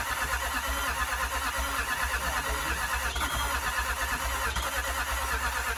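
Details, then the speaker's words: 2007 Range Rover 3.6 TDV8 turbo diesel, just fitted with reconditioned turbochargers after a blown turbo, boosted because the battery was low: engine catches into a steady, even diesel clatter with a regular low pulse, no misfire; oil from the intercooler burning off while warming up. "pressure is there and looks like it's running let him warm up a little bit"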